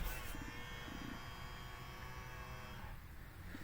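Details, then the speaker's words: 2006-2011 Honda Civic fitted with retrofit power-folding mirrors, working in the accessory key position. After the final wiring, both the driver and passenger mirrors fold out on the button with a faint, steady motor whine of about 2.5 seconds, then stop cleanly. "driver out passenger out button again you can hear the motors whining"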